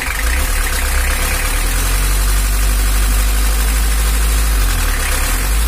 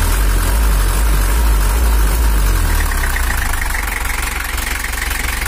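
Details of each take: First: Toyota Hiace LH11 diesel pickup, engine temperature normal, revved: loud rumble with a fast, loose ticking chatter on top; suspected excessive valve clearance (valves too loose) needing adjustment, not confirmed. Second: Toyota Hiace 2L diesel (LH11) pickup fitted with an Isuzu Traga bed, after engine tuning for more power and cooler running: strong, even diesel rumble easing smoothly as revs drop; throttle lighter and responsive, though slight uneven knock possibly from nozzle or camshaft remains.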